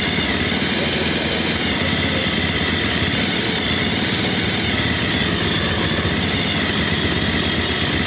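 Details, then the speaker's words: Bajaj Pulsar 220F after carburettor setting to cure missing at low rpm: steady idle holding speed without surging or stumbling; engine runs clean and even, problem solved. "कम ज्यादा नहीं हो रही है लो और हाय race नहीं हो रही है प्रॉपर हो चुकी है वह भी प्रॉब्लम सॉल्व हो गई है प्रॉपर सेटिंग हो चुकी है"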